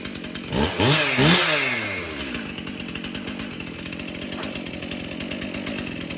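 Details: Stihl MS291 chainsaw, sold new in 2019, test-run outdoors before service: two quick crisp throttle blips, then a steady, even idle that holds without stalling; starts and runs fine. The loose bar nut vibrated off.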